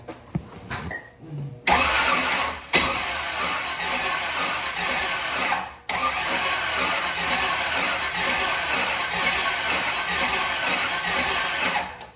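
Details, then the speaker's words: 1938 Chevy first running after revival: cranks and catches, then idles with a sharp raspy puffing chatter from a massive exhaust leak at a badly bent header, despite a brand-new gasket. "All right, so we've got it running, but we've got a massive exhaust leak right there. That header's bent to crap."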